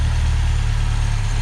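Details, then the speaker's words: Yugo Sana GL just revived after 20 years, on manual choke, slightly rich, no obvious leaks: low smooth even idle, steady beat, no knocks, ticks or stumbles; sounds quite refined, normal idle. "and blimey, that does sound quite refined. I'm very surprised."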